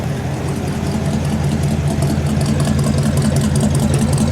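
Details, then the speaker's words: 1948 Ford 1-ton pickup flathead V8 after engine overhaul (water pump, belts, hoses, carburetor, fuel pump) with new dual 2-inch exhaust: steady, even low burble at idle with smooth regular beat, no knocks or ticks; running healthy. "Do you hear that? Because I sure don't hear it. Just running like a dream."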